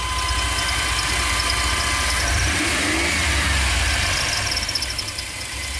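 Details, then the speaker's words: GMC Safari (Chevy Astro) 4.3L Vortec V6 after tune-up with new platinum plugs, cap, rotor and broken wires fixed for P0305 cylinder 5 misfire: warming idle is quiet, even and smooth with no skips; misfire gone. "let it run for a bit sounds quiet see the difference in a note we got to put that Techron in probably do that tomorrow sounds good over here nice and smooth"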